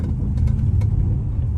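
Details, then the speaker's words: Straight-piped V8 Chrysler 300 with X-pipe, after fitting muffler/resonators to cut cabin drone, at low speed: deep steady rumble, no ringing rasp, sounds much calmer; normal exhaust note. "Sounds a little bit chiller. I'm not going to lie. Like way chill."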